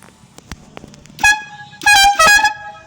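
A short toot, then two longer steady horn blasts with a clear bright tone; the horn sounds strong and works properly.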